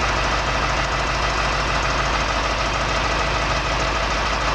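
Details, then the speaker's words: Diesel truck at idle during daily air brake compressor test: steady even rumble, no knocks or misses, compressor charging normally, pressure rising from 85 to 100 psi in under 45 seconds after low pressure warning test passed. "Now I'm going to do a compressor test. The compressor should go from 85 psi to 100 psi in 45 seconds."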